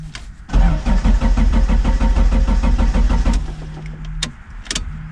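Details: 1999 Dodge Neon with swapped 2.4 turbo SRT-4 engine, out of storage: starter spins engine at steady even beat about three seconds without firing; crank no start, out of fuel.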